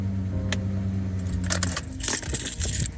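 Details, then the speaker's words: 2015 Subaru Forester FB25 2.5L with DIY Eaton M65 supercharger on a smaller pulley and homemade clutch (AC compressor clutch material, too few shims): supercharger spins even when off, then harsh metallic grinding and rattling when forced to engage; clutched pulley later abandoned. "so I'm just started it up with not enough shims to fully space these guys so you can hear the supercharger running even when it should be off and when I force it to use the supercharger well this amazing sound"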